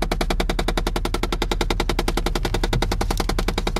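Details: 2006 Chevy Impala LT, about 160,000 miles, idling after a remote start: rapid, loud, steady knocking from behind the dashboard, not the engine, second occurrence. Owner suspects jammed HVAC air door actuator motors but also wonders about the airbag system.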